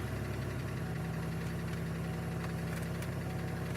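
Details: 2002 Chevy Malibu after long no-start, rear block crank sensor replaced, fuel leak smelled: engine catches and holds a steady, fairly even low idle with a faint background rattle.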